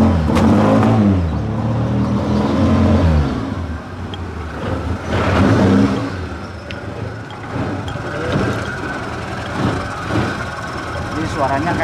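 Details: Suzuki Jimny Katana petrol engine with contact-point ignition revs unevenly, stuttering and dipping, because the ignition points are worn; they are replaced with new ones.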